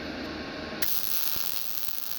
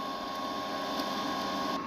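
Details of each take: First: GZ Guozhi MIG 200P welder at wire speed 105 and 16 V: a frying hiss with sharp pops and crackles. The arc still feels too hot, so the wire speed is next turned down to 100. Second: GZ Guozhi 200A multi-process MIG welder on wire test, after adding drive roller tension to stop skipping: steady even motor hum with thin constant whine, no skipping clicks; normal wire feed to the gun.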